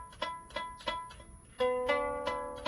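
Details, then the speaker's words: Plucked lyre strings with a bright, rattly buzz, heard when tuning back up; usually caused by the string not seated properly in the bridge or nut, groove not deep or wide enough, vibrating against its corner. "nine out of 10 times what's causing that is that the the strings not seated properly in the bridge or the hole in the bridge uh in the nut the bridge is not deep enough or wide enough and vibrating against the corner of it"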